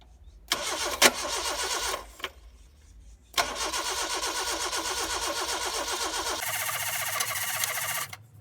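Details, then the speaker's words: Toyota AE82 project car after 7 months, petrol pump tested and flowing, carburettor suspected; repeated starter cranking bursts, engine won't pick up and run, hard start despite choke; cause not confirmed, choke about to be disconnected. "mean that we going to the choke definitely helps us with uh so that our vehicle cannot give us a hard start. But in this case it is giving us a hard start."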